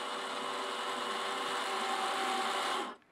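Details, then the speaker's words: Chemical-free air-over-media iron and sulphur filter: the control valve motor gives a steady small whir with a faint hum for about three seconds as it positions into the backwash cycle. Normal operation. "like that so now the valve is moving and positioning itself and it's going into the backwash cycle"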